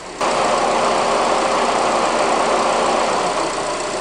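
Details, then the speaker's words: 2005 Honda Accord 2.4 VTEC at idle, air conditioning cycling: steady, even idle with no belt squeal or chirp; belt no longer wandering, accessory drive running quietly. "so it's not wandering like it did before which obviously isn't going to allow us quill I'm happy with that"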